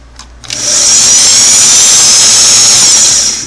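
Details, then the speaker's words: Singer model 413 vintage sewing machine after motor belt replacement: motor spins up quickly to a steady high whir at high speed, slight belt vibration but no rubbing or slapping, then winds down; belt not too tight, normal run. "you see a little tiny bit of vibration on this belt but not very much and you I can still run the motor and I can still run the motor at high speed so that helps me believe that the belt is not too tight"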